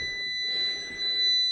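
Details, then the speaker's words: Off-grid inverter beeping continuously while more controllers are hooked up, display showing 14 V fault; steady high-pitched electronic tone in a quiet room; fault alarm, cause not confirmed. "You can hear it beeping. It's not a happy chappy at all."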